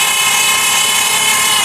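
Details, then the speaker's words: 2002 Dodge Stratus 4-cylinder, idling: dry, steady high whir from the transmission, no low rumble; heard before replacing the solenoid pack, owner suspected stuck pressure switch or bad filter; car started hard, breather off; cause unconfirmed. "Of course, before I did this, when I started it up, I immediately heard that it sounded like a dry whir, which basically, I'm getting ready to let you hear this, and I was thinking maybe the pressure switch was stuck, and or possibly the filter is bad."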